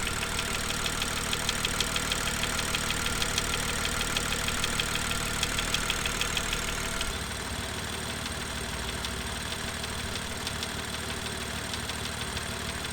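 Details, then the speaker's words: BMW M2 N55 engine during cold warm-up idle (sped-up recording): fast light ticking from the exhaust camshaft area, loudest at about 45–50° oil temperature and fading around 55°. An exhaust camshaft fault, fixed under warranty. "so as you just heard um it definitely didn't sound right um the engine was tapping loudly from the exhaust camshaft um area"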